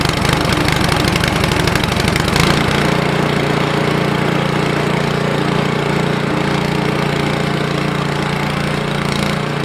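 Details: Ariens 28 Deluxe snow blower (921046), low hours, started after two years of sitting: rapid cranking chatter for a couple of seconds, then it catches and settles into a steady, even run, a clean start.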